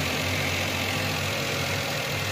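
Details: Suzuki Alto (2021) with a cold engine after a P0336 long-cranking fault: settles into a steady, even idle with a faint light rattle, attributed to a loose bolt that needs tightening.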